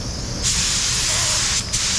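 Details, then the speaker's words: DeVilbiss FLG4 spray gun spraying thinned high-build primer hisses, buzzes and spits every few seconds, not atomizing cleanly; possibly clogged or paint too thick. "You hear that? You can hear it. You can hear it buzzing. It's gotta blow its nose every 3 seconds. Yeah, you can see it spit."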